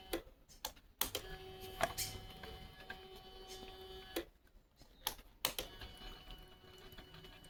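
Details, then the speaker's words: Bajaj Pulsar RS200 BS6 fuel pump, which was causing missing, tested submerged in petrol after cleaning its filter: steady, even hum at a constant tone, no cutting out; petrol flows at good pressure, pump running normally. "കണ്ടോ cutting ഇല്ലാണ്ട് petrol നല്ല പ്രഷറിൽ വരുന്നുണ്ട് അതായത് നമ്മളഇപ്പോ filter clean ചെയ്തപ്പോൾ അത്യാവശ്യം നല്ല പ്രഷറിൽ വരുന്നുണ്ട്"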